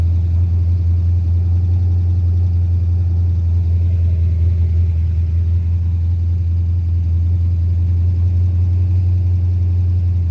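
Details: 5.3 LS swapped Mustang with carburetor conversion and MSD ignition that starts and dies; steady, high idle with a deep rumble; owner unsure whether carburetor, timing or a vacuum leak is the cause.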